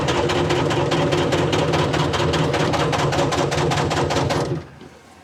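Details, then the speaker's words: Telehandler swapped to Detroit 353 two-stroke diesel, half worn out, never starts cold, suspected algae plugging fuel filters: heavy even cranking about four strokes a second for over four seconds without firing; hard cold starting, cause suspected. "Uh mostly because this engine never starts cold. It's half wore out."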